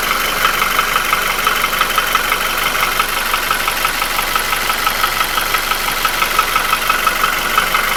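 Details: QG16DE engine, no hydraulic lifters, with piston rings, oil scraper rings, timing chain and shoe replaced 2000 km earlier. A steady tick-knock at about three per second is heard at idle and disappears when revved; it started 1500 km ago. Owner senses it at the front of the block between cylinders 1–2, cause undiagnosed.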